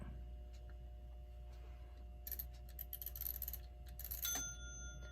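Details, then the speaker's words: Ingraham SSD8 electric strike clock, c. 1936, during repair after reseating dial and minute hand: quiet hum then bright bell rings with the minute hand at seven instead of twelve; strike out of sync with the hour. "okay it rang with the hand on the seven I want this to be chiming at the 12"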